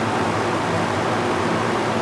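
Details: Master Flow 1450 CFM gable-mount attic fan, new install, drawing 1.16 amps, about 76 decibels: even, steady rushing of air with no rattle, tick or pitch wobble; running smoothly.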